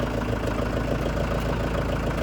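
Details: Tractor after brake and transmission repairs and cooling flush, at operating temperature, setting off on the road: steady even diesel idle with low throb, no knocks or grinding; driveline and shifting sound smooth and healthy.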